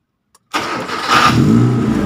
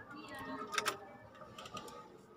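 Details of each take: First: Kia Sephia Timor DOHC injection, warm at normal operating temperature, battery now steady at 12 V after earlier weak-battery no-crank: brief brisk crank, engine catches right away, revs and settles; normal start. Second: Timor DOHC (Kia Sephia S515i) key start: the solenoid buzzes and chatters with heavy clunks but the starter won't crank. The battery is flat, confirmed beforehand with a digital voltmeter.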